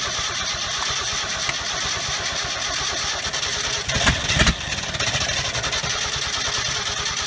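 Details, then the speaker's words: 1969 Ford F250 on its first start after 11 years: ragged cranking, a short burst of firing, then back to cranking; it catches but won't keep running. A disconnected vacuum line at the back of the engine is suspected as part of the cause. "Well, that's the best fire we've had out of it."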